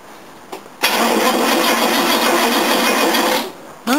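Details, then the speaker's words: Classic car, a 1969 Mercedes W111 220Sb or a Jaguar XJ12, cranked with fuel shut off after cleaning up the battery terminal: the starter spins the engine briskly and evenly with no dragging; before, it bogged down and wouldn't turn properly. "yeah that sounds Happ cool yeah before it used just bogged down and wouldn't really turn properly"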